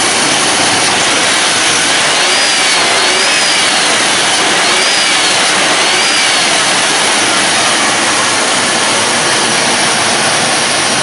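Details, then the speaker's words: Lincoln Town Car, Ford 4.6L V8, that previously fell on its face, restarted after the repair with coolant drained and being refilled: steady, even idle with no misses or knocks and a constant airy hiss, healthy again. "all right well she is healthy [Applause] [Music] again just like to bump that key just bump that's how it should be"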